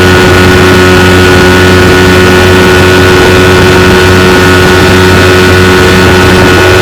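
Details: 1992 Evinrude 15 HP outboard on a john boat, run wide open for about 10 minutes at about 18 mph. Loud, steady drone with no surging, misses or knocks. It never jumped out of gear despite the reported gear slipping; compression and spark checked fine.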